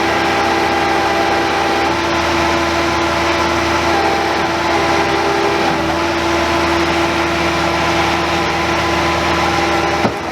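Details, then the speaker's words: Old Bobcat 825 skid steer diesel at full throttle: steady, strained hydraulic whine as the hydraulics go over relief and it won't lift its own bucket; owner suspects a relief valve stuck open or a pump coupler problem. "This thing is really not running very well. It sounds like the hydraulics are going over relief, and then to the end of that, it wouldn't even lift its own bucket."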